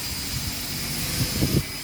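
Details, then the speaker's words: Arwing v4.5 CNC router, spindle switched on and potentiometer turned fully right before cutting 3 mm ACP panel: high steady whistle over even motor hum, no grinding or rattle, spindle running up cleanly to maximum speed. "Kita tunggu untuk kecepatan maksimalnya. Oke, sudah maksimal."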